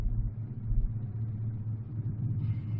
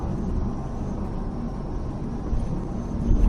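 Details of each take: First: 1985 Chevrolet Silverado K20 4x4, carbureted engine idling about 650–700 rpm: low lumpy, loping exhaust rumble, engine shakes at idle but smooths above about 800 rpm; owner blames the carb, plans to replace it. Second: 1985 Chevrolet Silverado K20 4x4 with carburetor, 33-inch tires, freeway cruise under 60 mph: steady low engine drone under road rumble, no miss, knock or surge; engine runs smoothly.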